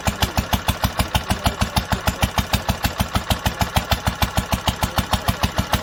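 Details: 1946 International Harvester LBB 3-5 hp water-cooled engine, first cold start after sitting covered a long time, started on the next pull after two choked turns; strong, even thumps about three beats a second, solid low note, no misses, running cleanly.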